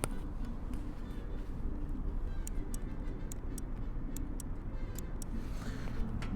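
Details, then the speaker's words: 2007 Harley-Davidson Sportster Nightster 1200 fuel injected, ignition on and Run button pressed: sharp, light clicks repeat from the failing starter relay on top while the engine doesn't crank. "clicking that's coming from the starter relay which is right there this one on the top"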